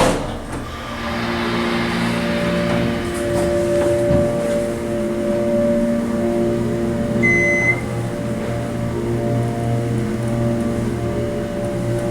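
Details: OTIS Series 1 hydraulic elevator, during travel: even, steady pump motor hum with a constant low drone and no knocks or surges; sounds normal.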